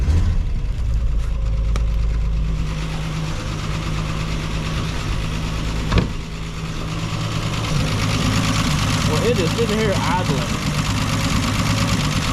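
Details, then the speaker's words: Ford Falcon revived after new points, condenser, cap, rotor and plugs, fine-tuned after first start: low, fairly steady idle that keeps running without dying, only slightly uneven; normal idle. "all right so i think i got it to where it'll idle"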